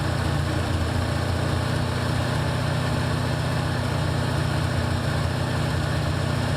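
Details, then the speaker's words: 1984 Ford Mustang GT350, low idle on Holley choke not yet warmed up: faint uneven puffing tick over the idle; exhaust leaking out of the headers, easy fix. "leaking out of the headers. That's an easy fix. Yeah, better get. Yeah, you can hear it, definitely."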